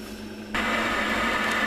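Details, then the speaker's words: Worcester Bosch combi boiler under Nest thermostat demand, heat exchanger cold; pump hums, then burner lights with a sudden steady roar and settles into an even rush, normal ignition and modulation. "it did fire it up and as you can hear it now running"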